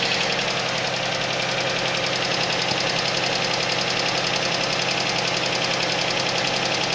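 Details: Suzuki Vitara at cold idle: a fast, fairly even tapping about two per second over a busy engine; a knock when cold, cause not confirmed.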